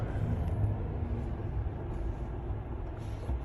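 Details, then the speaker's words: 2020 Chevy Silverado Trail Boss LT 5.3L V8, just fitted with a K&N Blackhawk cold air intake, cruising through Pittsburgh: deep, smooth rumble over road noise, no knocks or misses; the engine runs healthy. "Yeah, I can hear it. And it feels different. Absolutely. Sounds good with that exhaust too."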